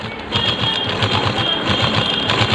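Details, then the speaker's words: Sewing machine stitching double-layer normal cloth before the repair; quick, even clatter about five beats a second with steady motor hum, no catches. Fine on single/double layers, but the thread breaks on thick cloth. "देखिए ये machine चल रही है, सही है। यहाँ देखिए ये हमने यहाँ से यहाँ तक चलाया और ये सिलाई भी इसका बिल्कुल सही है, सुंदर है।"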